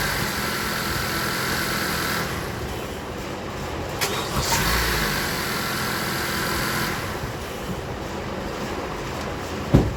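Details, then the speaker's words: Honda CR-V after battery work: engine catches quickly and settles into a steady, even run without hesitation, a strong, healthy start. "That's a night and day difference right there."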